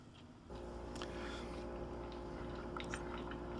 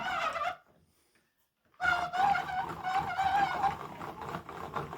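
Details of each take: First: Hand-cranked wooden roller gearing model from the Making Mechanical Marvels book: steady, even whir of wooden rollers turned by hand, no catches, knocks or grinding; runs smoothly. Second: Hand-cranked wooden freight lifting-table model, with a worm gear driving a box and scissors lifting the table: a thin wavering squeal over wooden rattling while cranking. The worm gear mesh has always been a little tight.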